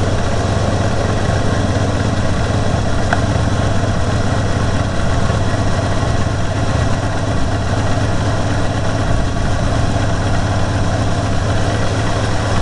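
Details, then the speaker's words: Stone cold engine after sitting overnight, on choke and warming up. Low, throbbing, loping idle that never settles, with vacuum bouncing around 13. Rough idle. "so right now Stone Cold chokes on it's kind of bouncing around 13 degrees as it's warming up"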